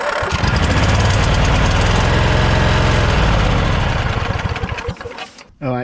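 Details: Snapper LT200 riding mower, sat about a week after last repair: steady starter cranking about four turns a second, never catches, winds down; gas not drawn up through fuel filter, fuel pump suspected, anti-kickback solenoid clicks; cranks but won't start.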